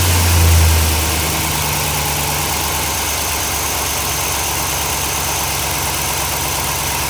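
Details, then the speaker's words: Chevy truck LS V8 (1999 and later) idling steady and smooth after a leaking cheap exhaust manifold gasket was replaced and the bolts were tightened evenly from the middle out; no puffing or ticking remains: exhaust leak fixed, normal idle. "as you can tell we don't have an exhaust leak no more so they had to be coming from this gasket right there"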